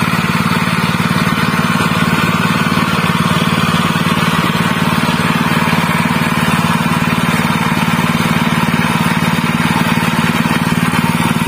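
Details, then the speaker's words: General CX160 5.5 HP stationary engine that fouled its spark plug black and stalled quickly, after fitting a new plug: a smooth, even beat at steady speed with no misses or surging; running normal again. "this is the result, Alhamdulillah, it's not too much effort on the big gas, it's normal again, my friends"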